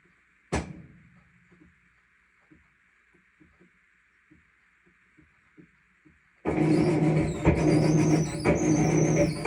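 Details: Whirlpool WTW5105HW washer: quiet faint ticking, then a loud churning agitation run with high, wavering squeaks riding over it.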